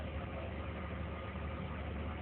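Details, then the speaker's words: BMW E39 5 Series after all vacuum leaks were fixed with new parts: even, steady idle with no stumbles or hisses, a smooth-running engine. "he's going for from the Audubon again guys and after fighting with this one all day this is what we have a smooth running engine"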